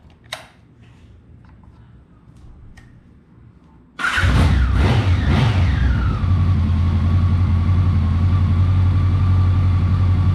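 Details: 1983-84 Honda Nighthawk 550 (CB550SC) started after an oil change; starter cranks a few times, catches with quick blips, then steady even idle, no knocks or ticks.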